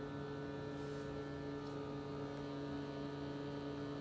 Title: Xiaomi Mi Air Purifier 3H problem z czujnikiem/ strange noise, problem with the pollution sensor.